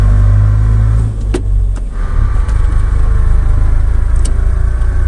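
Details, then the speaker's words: Car driving with low heavy rumble and thin steady whine over it; differential whine, suspected from gears eroded or broken through lack of oil. "el siguiente es el diferencial que internamente contiene engranes y rodamientos que a veces los engranes por falta de aceite se erosionan o se llegan a romper escuchándose de esta manera"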